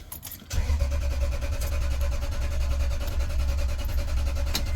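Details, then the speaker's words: A jump-started Toyota with a blown ignition fuse: the starter spins the engine evenly for several seconds, but it never fires. The fuel pump runs when jumped, so the pump itself is good; there is no command to the pump, and a lack of spark is suspected. "I know it's not starting, but that's okay. The command is not there to turn the pump on. So if the command is not there to turn the pump on, the command is not there to start the motor."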